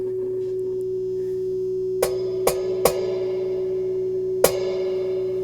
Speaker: so no problems there the reverb section is definitely working